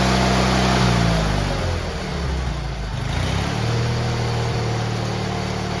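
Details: GT18 garden tractor twin, carburetor refitted and repairs done, air cleaner still off: brief rev then a steady even low drone that settles without stumbling; previously it flooded and chuffed smoke past half throttle once warm.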